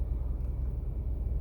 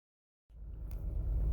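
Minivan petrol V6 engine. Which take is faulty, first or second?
second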